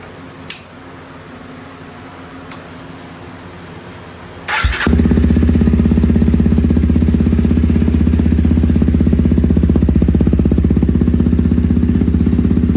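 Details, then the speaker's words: Honda CRF300L with a budget eBay aftermarket muffler, just after repacking it with fresh fiberglass. The engine fires up after a few clicks and settles into a loud, steady, rapid exhaust beat. It is still loud and the repack barely quieted it. "still pretty loud. Uh I don't know if that really was uh worth doing on this one. Didn't seem like it really quiet it down much."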